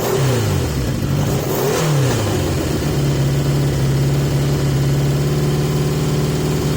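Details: 1980 Yamaha XJ650 motorcycle, tested with masking tape over the pod air filters to restrict airflow. Pitch wanders up and down, then settles into an uneven, lumpy idle that won't hold steady. Erratic idle; cause suspected, not confirmed.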